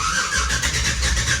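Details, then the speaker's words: 1966 Chevy C10 with a freshly installed LS1 V8 swapped in for an LT1; the fuel system is not yet hooked up. Steady rhythmic cranking with ignition present but no firing. It cranks but does not start because there is no fuel. "and then I think I can crank too but not start because there's no fuel"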